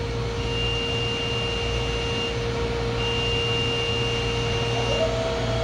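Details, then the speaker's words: DMG Mori Seiki DMC 1035V vertical machining center, spindle replaced March 2022, runs daily, has cut only aluminum; spindle at 4,000 RPM, recorded near the door interlock: a steady, even hum with a clean high tone and no knocks; normal. "That's at 4,000."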